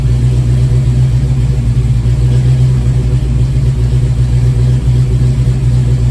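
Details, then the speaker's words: 1987 Mustang GT V8 with a crank/no-start-when-warm issue, warm restart: starts fairly easily, deep idle with a brief slight surge lasting a couple of seconds. Improved over before. "so it did start up fairly easily as compared to in the past The Surge just lasted a couple of of seconds there so let's try it again let's see what happens"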